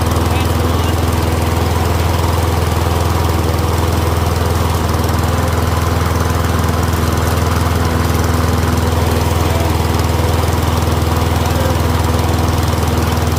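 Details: Troy-Bilt Briggs & Stratton rear-wheel-drive mower after ultrasonic carb clean, warmed up, checking self-propel; steady even drone with constant beat, no surging, hunting or knock; running smooth.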